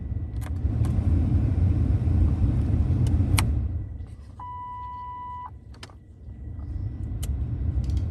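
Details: 2003-or-later Ford Crown Victoria, Mercury Grand Marquis or Lincoln Town Car after blower motor replacement, key on: steady low rush of air with no rattle or squeal, plus a brief chime and clicks; the new blower runs smoothly.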